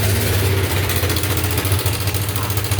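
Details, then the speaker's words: Yamaha Nmax V.2 scooter at idle: fast, loose metallic rattle over the engine note; cause a failed cam chain tensioner, replacing it silenced the engine. "ถ้าเร่งแล้วเงียบก็ปันิษฐานไว้ว่าตัวดันโซ่เสียเพราะเวลาเร่งแล้วโซ่มันตึงครับเสียงจะเงียบลงนะครับ"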